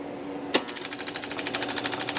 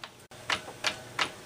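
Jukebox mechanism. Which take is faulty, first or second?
second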